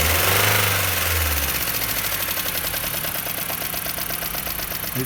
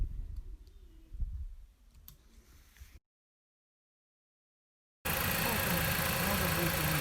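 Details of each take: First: Jeep Patriot 2.4 at idle, knocking for about 1000 km despite oil change and flush: fast, fairly even valve-train ticking knock, about three per second. Exhaust valve clearances 0.30–0.55 mm; heavily worn, scored camshaft and head. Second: Jeep Patriot 2.4 after cylinder head rebuild for worn camshaft and scored head, valves adjusted, old chain kept, new cover; after a quiet start it settles into a steady, even idle with no knocking or ticking: normal idle.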